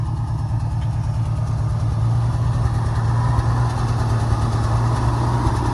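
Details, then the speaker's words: 1971 Ford F-350 crew cab long bed straight six, running after 20 years of sitting: a smooth, even low rumble with no knocks, ticks or stumbles. Steady idle, quiet like a sewing machine, running healthy; the throttle pedal tends to stick. "but listen how quiet this thing sounds sounds like a sewing machine close the door up for you let it look real nice i can't believe how well this thing's"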